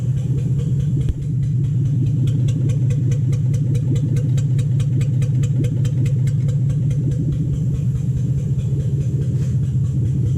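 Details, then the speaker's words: 2007 Toyota Hilux Vigo 4x4 with a swapped 3UZ Toyota V8 and manual gearbox, idling after a suspected lost coil on one side was fixed, right-hand side now running properly: a deep, even V8 burble with a steady beat, no misfire or knock. "totally set right hand side running properly now that sounds good sounds lovely"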